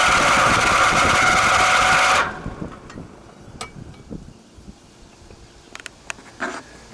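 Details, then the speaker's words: 20-year-old condensing unit that runs fine at first: after about twenty minutes a loud rough roar for about two seconds, then cutting to near silence; the condenser fan motor is failing and needs replacing. "Here is that noise. Yeah, it's the condensing motor."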